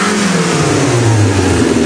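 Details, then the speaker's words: 1961 Ford Anglia four-cylinder, long retired in a field and brought back, running on a temporary gas can in the trunk with no coolant in the block yet: steady even firing with a quick rev, no knocks or rattles; sounds healthy. "still no water in the engine block but it sounds amazing it's ready for a ride soon as we get water in it"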